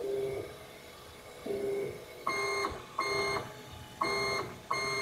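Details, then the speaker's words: Wanhao Duplicator 6 (Monoprice Maker Ultimate) 3D printer NEMA 17 stepper motors after fitting rubber dampers: short bursts of travel with soft tone, no shrill high-frequency whine; quiet, smooth stepper running. "you can hear the noise the stepper motor now I guess it'd be irritating because right next to my workstation"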